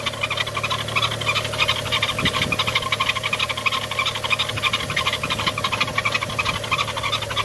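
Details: BMW E90 335i N55, 57,000 miles, engine cold, parked, idling: fast steady chirping rattle about three times a second over the engine from a worn, failed belt tensioner pulley, before the belts and pulleys were replaced.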